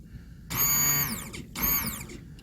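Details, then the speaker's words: Holden Tigra convertible fuel pump bench-tested on a separate battery with positive and negative connected: two short bursts of high electric whine winding down; pump works, so the fault is suspected in the earth wire or fuel pump relay. "so definitely got the fuel pump works"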